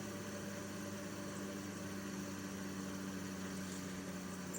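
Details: Air Pro air purifier running: constant low hum with a steady tonal drone over the fan airflow, no rhythm change; abnormal fan motor noise, bad bearing suspected.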